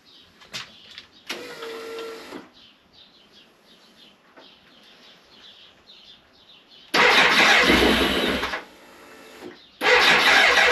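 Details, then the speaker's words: 1998 BMW K1100LT, about 83,000 miles, fuel pressure gauge fitted: brief fuel pump whine then two long cranking bursts that never catch; pump builds 35–40 psi while cranking but drops, cause still unknown; crank no start. "the fuel pump does seem to build between 35 and 40 PSI roughly of pressure when it's trying to start it doesn't maintain it it does drop so maybe that's a slight issue but it does have the pressure there so it should start"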